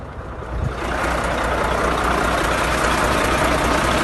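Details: Volvo FH13 diesel truck engine pounds with a heavy rough knock, about four beats a second, from a dropped valve; engine reportedly blew up, white smoke and antifreeze signs present.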